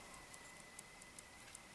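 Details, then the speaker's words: 2001 Yamaha YZ250F with case split: small transmission bearing spun by hand gives faint uneven clicking, worn rough bearing that needs replacing. "both small bearings in the transmission same with this one our pooch this one's not as bad but they're uh need to be replaced"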